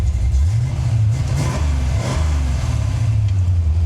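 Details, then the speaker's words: Cammed engine idling after a fouled number five plug was fixed: deep, even, lumpy cam lope with no misfire or stumble, all cylinders firing. "I don't know if you guys can hear it or not but you can definitely hear the cam Trot a little better"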